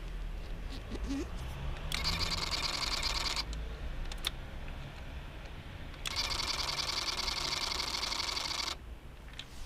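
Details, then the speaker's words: Yamaha DT125 two-stroke with power valve (YPVS) suspected stuck halfway, giving weak bottom and top end: at key-on, two harsh electric buzzes instead of a clean sweep as the power valve servo strains; cause not yet confirmed. "now on the startup you turn the key on it tries to actuate the valve and it should go but instead it does this"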